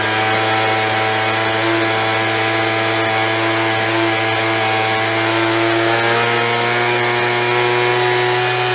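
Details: After carb cleaning, carb kit and trigger modification so throttle fully opens and closes, Craftsman (MTD) B2000 25cc two-stroke blower (had "wont stay running"): steady buzz at speed, then drops cleanly to stable ~2700 rpm idle; fixed, running normally.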